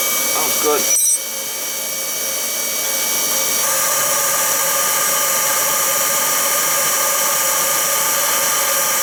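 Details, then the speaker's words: Oil burner on a no-heat call, after its motor was oiled and reassembled: an ignition click, then a steady, even hiss and roar with no sputter. It fires cleanly. "it should fire i got everything back together [Music] so used to we have ignition"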